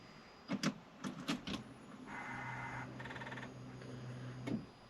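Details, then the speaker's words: Arden 8-port engine after injector cleaning, battery connected and ignition on: clicks then steady low buzz about two seconds as fuel pump primes normally, with fuel heard returning to tank; a fuel leak was found afterward. "i can hear it putting fuel back into i can hear you taking fuel back into tank as well"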